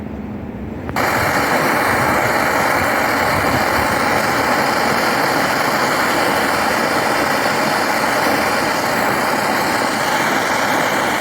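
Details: BRS-8 multifuel stove running on gas, after a makeshift tin part replaced the missing piece: sudden whoosh on lighting, then a loud, even hissing roar with no sputter; stable even in wind gusts, quite noisy.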